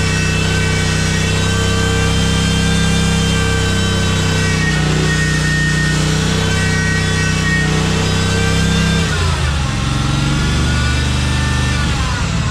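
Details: Cub Cadet 1864 lawn tractor, Kohler Command 18 engine, after fuel system cleaning and repair. Started on full choke with a little throttle, it catches and holds a steady idle, dipping and recovering smoothly as throttle is adjusted. Running normally, fixed.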